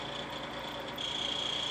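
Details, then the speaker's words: Vornado fan running a couple of minutes: thin steady high squeal rising over motor hum as it slows and sputters, something rubbing inside the motor; owner suspects dust in the motor, fixed by cleaning. "This one runs, but after a couple minutes it'll start making a squealing noise, and seems like something's rubbing inside in the internal parts of the motor."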